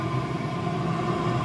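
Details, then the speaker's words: Chinese diesel heater after decoke, cleaning and broken glow plug repair, running 14 minutes at full output: steady even roar, deep low rumble, no misfires or surging, clean exhaust, burning cleanly. "clean exhaust this is on Full chat by the way and that is wow that's red hot"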